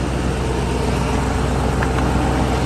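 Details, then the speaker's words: Ford Mustang on a road trip, restarted after a leaking coolant hose was pushed further on and secured with a screw clamp: low, steady idle rumble with no stumble or knock; should no longer run hot. "Let's go ahead and crank it up. Shouldn't run hot now for real."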